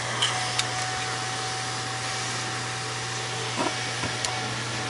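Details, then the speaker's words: Cooling fan for a power feed's driver and step generator, with a somewhat restrictive filter added (grid cut back): steady low hum with a faint whine, even under the filter load, not too bad; fan running normally. "so I'm just gonna put up this and listen to the sound of this fan listen to it load up when I put this on it doesn't sound too bad"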